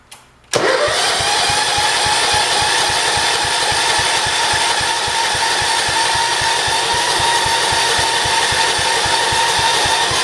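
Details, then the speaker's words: 1968 John Deere 110 garden tractor, first start since engine reinstall and rewiring: brief crank, catches at once, settles into steady even chugging idle with no misses; owner wonders if earlier trouble was fuel reaching the carburetor. "there we go awesome this sounds really good"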